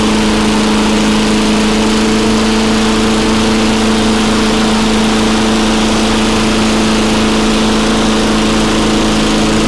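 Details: Very old Craftsman Eager 1 mower with a Tecumseh engine (rear spark plug), running after a choke-to-primer conversion and a few extra primes. A constant fast single-cylinder drone with a strong steady tone and no hunting or sputter; normal running.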